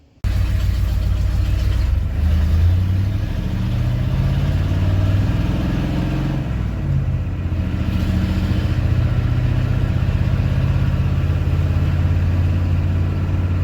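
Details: Free 1989 Ford F350 dually, 7.3 IDI non-turbo diesel, five-speed, started right after the blown-out rusted mufflers were cut off (straight piped): loud, deep, even diesel rumble at idle, no miss, healthy.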